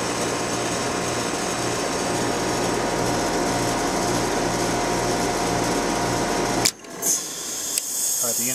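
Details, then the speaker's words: Trane XL400 2.5-ton 14 SEER heat pump with scroll compressor and new 2940 defrost board, forced defrost: steady compressor drone with faint pulsing, then abrupt cutoff about 20-30 seconds before defrost cycle; normal shutdown. "shuts off that's about 20 or 30 seconds before the actual defrost cycle will commence"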